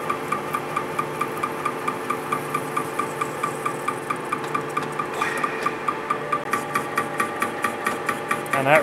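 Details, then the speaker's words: Welded hydraulic displacement cylinder with no piston, turning slowly on a lathe while being cut open for resealing. A sharp knock about once a second, evenly spaced; the owner wonders if something is slapping inside, but the cause of the internal knock is unknown. "sounds like there's something this cylinder is just totally messed up maybe that piston slapping inside of there"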